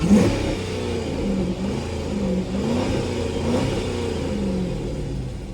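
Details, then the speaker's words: Chrysler 300 SRT8 V8 revving smoothly with no knock, tick or miss after a rusted-out catalytic converter part causing a ringing noise was removed; now a normal, healthy engine sound. "as I can tell it's not making no noise no [Music] more just regular engine you feel me just making a regular engine noise"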